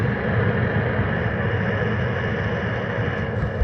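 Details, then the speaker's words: 2023 Mercedes Sprinter with Eberspächer Airtronic S2 D2L diesel heater, driver's-side exhaust with added muffler, first start test: steady even low roar at the exhaust, no pops, sputter or surging; fan, fuel pump running, clean combustion. "fan is blowing it seems like things are firing fuel pump's moving this exhaust is starting to heat up got warm air coming out a little bit"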